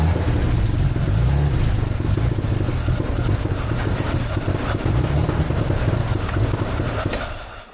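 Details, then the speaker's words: Armstrong Siddeley Special, first run in years on a makeshift fuel pump and tank, carb float just adjusted lower: engine stumbles and shakes with an uneven, lumpy beat, misfiring and running rough. Owner suspects the fuel pump is too strong and needs a regulator, or the points moved. "Right, it's got fuel. It's got fuel in it. Well, it's not happy, is it?"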